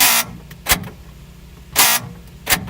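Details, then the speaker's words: Lexus IS300 passenger door lock actuator, door panel off, lock cycling: short harsh buzzing bursts, about four in three seconds, motor running but worn gears grinding; actuator to be replaced; door lock actuator gear grinding. "that noise there's not something you want to hear so I'm gonna replace the actuator"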